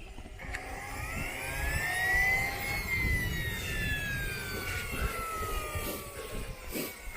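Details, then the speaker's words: Model turbine engine running after its turbine repair: high whine rising and falling with a gritty, glassy rattle and oil coming out; gearbox second-stage bearing failed from oil starvation caused by a blocked fuel/oil restrictor. "Give me that ching ching. [ __ ] turbine. Sounds like a load of glass again."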